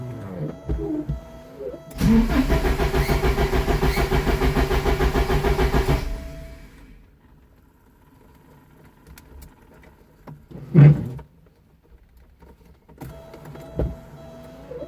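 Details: Porsche 944 after fuel pump, fuel filter, reference and speed sensors replaced: starter cranks at a steady, even beat for several seconds in two attempts but never catches; crank no start, cause unknown.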